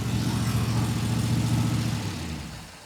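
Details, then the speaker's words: 1932 Ford 5-window coupe with Brawler carburetor, after a new MSD coil fixed run-and-die: lumpy idle at about 3–4 pulses a second with light valvetrain chatter from the solid lifter cam, then shutdown; normal idle with solid lifter chatter. "Shut that down. You can sure hear those uh that solid lifter cam in there. It's awfully chattery."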